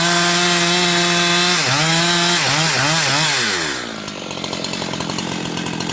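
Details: Husqvarna 362XP Special with wrong ignition coil and Walbro carb, cutting firewood: steady scream dips under cut, then breaks into gargling stutter as revs climb toward 11,500–12,000 rpm, barely 10,000–10,500; not carburetion, four-stroking at wrong coil's rev limit.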